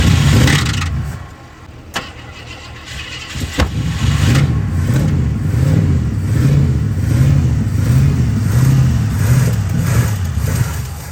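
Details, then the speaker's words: 1986 Jeep Grand Wagoneer bought off Marketplace in poor running condition. It cranks and catches, then runs lumpy with an uneven low throb and won't hold idle; owner thinks it is out of gas. "Well, we can't seem to keep it idling, so we're just gonna tow strap it up to the house to power wash it."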